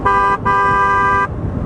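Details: BMW R1200GSA with OEM horn replaced by FIAMM twin-tone horns: two loud, steady twin-note blasts, a short one then one nearly a second long, clear and even; horn working properly.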